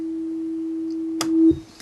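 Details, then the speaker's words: 1970s General Music (GEM) F40 transistorized electronic organ just switched on, no keys pressed; steady unchanging mid-pitched oscillating tone over a second, owner suspects bad capacitors, unable to fix. "We turn it on. You can hear it's doing some oscillating noise."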